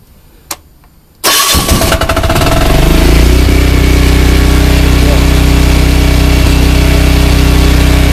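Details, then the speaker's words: Chinese ETQ portable diesel generator after oil change: click, brief cranking, catches and settles into steady even run, no knocks; noisy but less mechanical and quieter than before; healthy. "it's noisy but it sounds less mechanical this sounds a little quieter"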